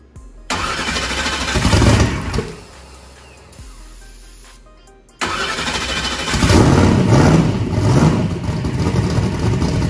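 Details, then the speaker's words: First start of a truck converted from gasoline to methanol, primed with brake clean: cranks, catches and dies, then fires into a lumpy, uneven idle with rough low pulses; the starting tune needs work. "fired up on great things that's good we probably need to do a little bit of work on the tune up for the start that's perfectly fine"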